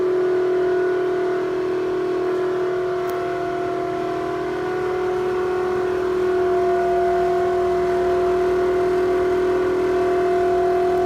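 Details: Toshiba exhaust fan in a restaurant toilet: loud steady mid-pitched drone with a higher overtone, echoing into the corridor; abnormal exhaust fan noise, cause not evident.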